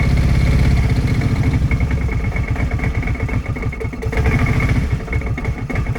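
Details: Kawasaki 650 Prairie (Brute Force) ATV being diagnosed for overheating, at cold idle warming up with coolant flowing: quick steady putter, even beat with no knocks or misses; idling normally.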